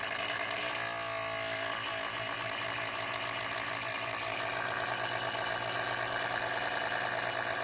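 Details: MSI PE60 6QE gaming laptop with an annoyingly loud cooling fan; a steady, loud airy whoosh with a faint low hum and no change in speed. Cause not clear and not yet repaired.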